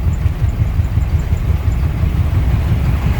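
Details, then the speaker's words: 1979 Ford Marque RV, driven after sitting 20 years on dry-rotted tires: a rhythmic thumping of about three beats a second under road rumble from a blown-out tread flopping on the rear. The driver suspects a tire on the other side has also gone flat. "I know I've got one blown out tread flopping everywhere it has the whole way but I can hear a whooping noise back there so I think one of the other side went flat"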